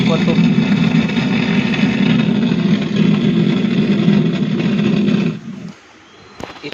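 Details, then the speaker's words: Cemex 9898 home theatre after power restored: top speaker plays but harsh crackling buzz over the program sound, persisting across modes, then cutting out; distorted output, cause not yet traced. "इसमें ऊपर तो बज रहा है दोस्तों, लेकिन खर खर खर की आवाज़ आ रही है।"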